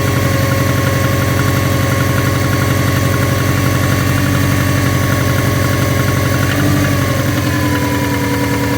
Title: SF5 Forester Engine Knocking